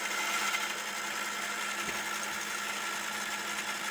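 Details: Homemade electric scooter gearbox with chain drive, chain freshly sprayed with WD-40: steady whirring electric motor with a light, even chain hiss and no knocks or grinding; the chain drive runs healthy.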